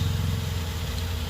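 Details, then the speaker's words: 2011 Ford Taurus just after replacing the corroded battery cable harness (positive, negative, starter and alternator); fired right up, smooth even low idle with steady rumble, no knocks, misses or roughness. Normal idle. "oh well sounds like a dream fired right up though"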